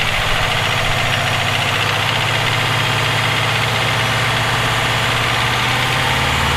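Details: Subaru EJ257 engine at idle: steady, evenly spaced knock over the idle, keeping time with engine speed; owner suspects rod knock, not confirmed.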